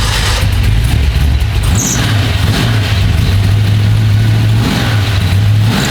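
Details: Carbureted drag car at Cincy Street Nights, run after checking float level and leaks, before checking ignition timing: loud, deep rumble with throttle blips, no popping, coughing or misfire; runs cleanly.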